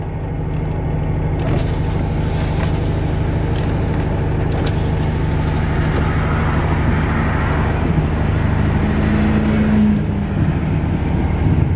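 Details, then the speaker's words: Just-revived 1995 Cutlass Supreme convertible on a road drive, doing 35 mph with foot off the gas due to a faulty throttle cable needing replacement. The engine note eases smoothly between gears with no slip or bang; the automatic shifts normally. "oh the transmission shifts all right I got to do something about that throttle cable um it needs to be replaced but it's running it's driving"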